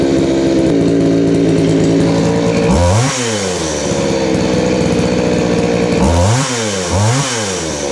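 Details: Craftsman 3.7/Poulan 3700 chainsaw with new carburetor and fuel line, after the high-speed screw was adjusted to fix a bog: sharp, clean rev bursts that drop back without bogging or stumbling. The high-speed mixture now sounds properly set.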